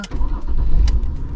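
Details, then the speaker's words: 1996 Ford Mondeo Ghia 2.5 V6 24-valve wagon, about 210,000 km, catches and settles into a deep, even, steady idle with no knocks or misses; normal idle. "Suena increíble."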